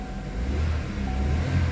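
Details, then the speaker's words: Chevy, 134,000 miles, codes P0014/P0017 after a broken vacuum pump threw off timing, third start attempt: engine catches at once and settles into a steady, even low rumble with no stumble or misfire; previously it only cranked. "starts right up I am going to check that code let me do another time this third off third attempt starts right up before it wouldn't start up and it will just rotate starts right up every"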